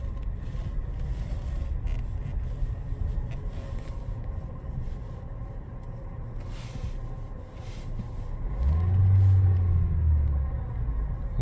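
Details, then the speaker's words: Skoda Octavia A7 idling after 40–50 minutes running: deep droning hum that swells in and fades as revs drop, seeming to come from the A/C compressor area, persists with A/C off and in neutral. "а заведена вот обороты падают он гудит низко он то появляется то пропадает и вот что это ну вот звук идёт вроде бы Оттуда где находится компрессор кондиционера"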